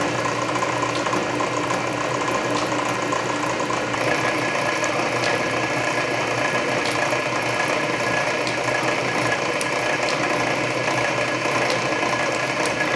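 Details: Canedy Otto drill press drilling a large hole under power feed; main drive belt slightly loose but gear reduction torque masks it; low steady hum with slow feed ticking — normal operation.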